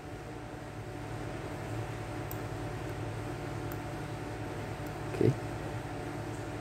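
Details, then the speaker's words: Washing machine wash motor, removed and powered directly on one winding with no capacitor fitted: a steady low mains hum with no spin-up. The motor can't start without its capacitor. "nah Apakah gini bisa hidup jawabannya belum karena motor ini ee idealnya berputar kalau misalkan dibantu sama satu alat yaitu kapasitor"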